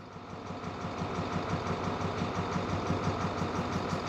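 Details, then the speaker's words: 2014 International MaxxForce diesel, check engine light on, won't exceed 20 mph, transmission and engine codes; uneven lumpy idle pulse about three beats a second. Cylinder cutout test made no difference; injectors not activating; cylinder misfire suspected, possibly injectors. "verdad a mi experiencia hay falla de cilindro posibles causas puede ser la puede ser Los inyectores"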